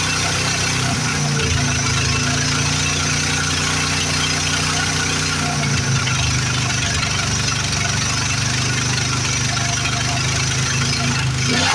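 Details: 1973 Plymouth Fury III with 360 V8 just installed after car sat engine-less 7 years: fires into lumpy uneven idle with spitting and sputtering; vacuum leak, owner first suspected carb issues or timing.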